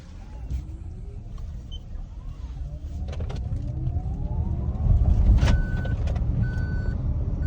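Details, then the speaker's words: BAW1 (Relive N1) electric car moving slowly: steady high repeating beep over rising motor whine, seatbelt reminder chime because the belt is unfastened. "bu emniyet kemeri sesi emniyet kemerini de takalım"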